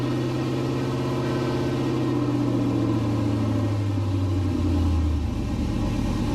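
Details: LS-swapped 1969 C50 farm truck, just after intake install and power steering rebuild with some remaining fluid leak; deep even V8 rumble with smooth steady beat and a brief rise and fall in revs; normal idle.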